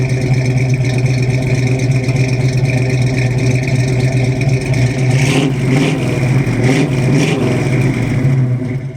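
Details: Classic car being tuned up during a 2800-mile Hot Rod Power Tour trip, final run after adjusting everything: steady, even low drone with a smooth consistent beat, no misses or ticks; engine runs clean.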